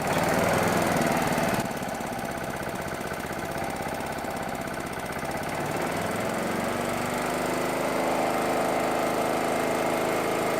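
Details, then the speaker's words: Small single-cylinder petrol generator, unused about 5 years, converted to propane fed from the bottle, speed adjusted gently at the bottle valve: after a brief speed change it settles into an even steady beat, running smoothly. "There you go! That generator hasn't run for about 5 years."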